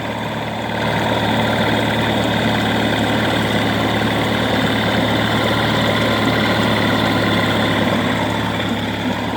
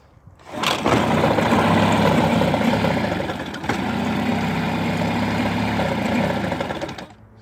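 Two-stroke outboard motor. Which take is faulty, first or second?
second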